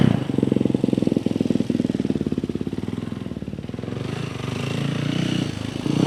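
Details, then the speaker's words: Yamaha YZ450F after clutch and kickstarter repair: kick-starts much easier now, big single with quick even firing pulses and crisp throttle response, no knocks or rattles; healthy, strong running. "oh yeah okay that uh that starts up way easier now man that thing's sick there's lots of power"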